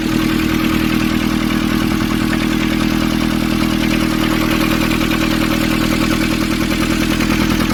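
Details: Nissan Urvan ZD30 diesel after its no-start was fixed by cleaning a black, dirt-clogged part: even, steady diesel clatter at idle with a regular beat and no misses or hunting; running smoothly.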